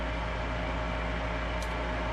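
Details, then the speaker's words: Lennox furnace after replacing an inducer motor whose bearing had failed (noisy, hot, plastic burning smell): smooth, even hum and steady low drone, no grinding or rattle; new bearing good. "so that sounds a lot better see it's not making noise whenever i move this now because the bearing is good on this motor"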